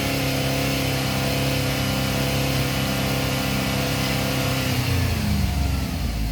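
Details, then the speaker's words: GM 3.6 replacement engine on cold start after crank/no-start trouble: high busy fast idle, revs sagging and hunting near the end as RPM tries to level out; cold-start idle too high, cause not confirmed. "That RPM is trying to level out."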